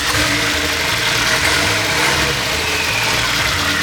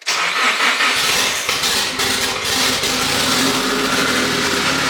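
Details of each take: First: Nissan S15 Silvia with a built engine, first start after the overhaul with new alternator and no exhaust fitted: loud, raw, steady idle, even rhythm with no misses or knocking, charging at 13.9 V; normal idle. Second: Nissan S15 Silvia with a built engine starts into a harsh, very loud raspy idle with no muffling, running only a 3-inch turbo downpipe and no exhaust, with a new alternator and fixed power steering.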